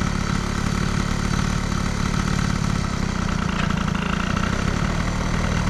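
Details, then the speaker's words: Air-cooled moped with Stage6 103 cylinder, Boost head and crankcases, Stradivario variator and Athena flat reed, fitted with a thicker decompressing head gasket instead of the 0.50 alloy one; lumpy, wet two-stroke idle, carb slightly rich but not the cause of overheating. "carbe est un petit peu grasse, hein, comme vous l'entendez. Il y a un petit peu de grassouillis sur le filet de gaz."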